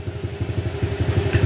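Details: Honda Click 150i scooter, 62mm loaded engine returned to stock, valve clearance 0.10 intake/0.20 exhaust, stock throttle body and manifold fitted; even low putter, no ticking or rattles: normal idle.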